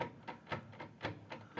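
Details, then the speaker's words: Mercedes W123, rear axle shaft turned back and forth by hand: sharp metallic clunks about three a second from play; owner unsure whether the wear is in the axle shaft splines or the hub. "Вот так стучит где-то вон там где-то. Это в шлицах или где? Где выработка?"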